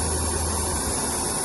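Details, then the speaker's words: Oxy-acetylene cutting torch adjusted past neutral to excess oxygen: sharp steady hiss with a harsh rushing edge, the snake-like sound of an oxidizing flame. "There's more oxygen. Okay. There's more oxygen. Therefore, the sound. Oxidizing. Oxidizing."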